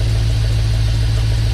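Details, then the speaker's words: Dodge Dakota R/T, replacement 5.9L V8 from a Durango R/T, idling after install as moisture clears from the exhaust: strong, even low rumble, no ticking or stumbling; the motor sounds healthy, temperatures good. "We might have a healthy motor, boys. We might have a healthy motor."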